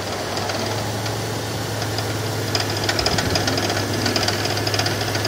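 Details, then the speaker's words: 2001 car at rough idle: sharp, regular tapping about two per second, heard from passenger side toward rear of engine; goes away with AC on, owner suspects AC bearing or pushrod. Engine knock, cause unconfirmed. "but it's coming out of this side passenger side more towards the back of the engine that's where i hear it from"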